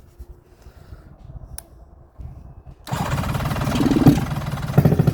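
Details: 1972 Suzuki GT750J Water Buffalo, 35k miles, starter clutch gear recently replaced, cold start after days unused: quiet clicks, starter spins cleanly, triple catches into a rough choked idle; electric start works properly.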